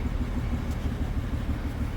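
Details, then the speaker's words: Acura TL with flashing check engine light, scan shows misfire on cylinders 1 through 6, exhaust smoking and smelling of gasoline; idle surges and dips in a regular pulse like it wants to cut out; ignition coil pack suspected; misfire, rough pulsating idle. "I'm gonna go to the engine. You can hear it sounds like it's pulsating,"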